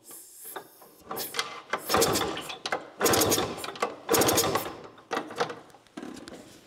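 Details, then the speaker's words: Automatic Tunturi moped, unused since last summer, pedalled over without firing: rough hissing rush on each pedal stroke, suspected compression leaking from the cylinder, possibly a gasket; the carburetor also needs cleaning. "What's noticeable here when you pedal like this years of compression coming from one of those cylinders, you can"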